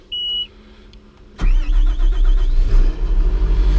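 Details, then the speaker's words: John Deere 700K dozer (DEF diesel) on a mild morning of about 50 degrees, door open: a brief strong starter crank, then the diesel catches at once and settles into a steady rumbling run; normal start with a good strong starter. "I love how this thing starts. The starter just sounds like it has authority on it."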